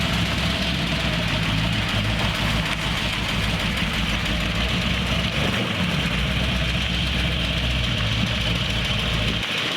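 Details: Carbureted car with Winfield cam (3/4 or SU1A, unsure), described as snappy, choke adjustable by sound: steady, solid idle with firm low beat, no misses or odd knocks; normal running.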